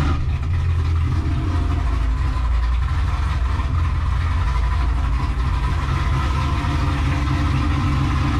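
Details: Chevrolet Camaro with big cam and blower, after fitting MSD spark plug wires: loud, lumpy idle with a steady, even beat and no misses; all cylinders confirmed firing by header temperatures.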